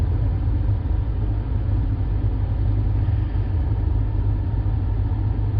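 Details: 2009 Buick LaCrosse blower motor commanded on via scan tool active test, key on, battery possibly low: steady, even low whoosh with no surging, squeal or ticking; blower fan running normally.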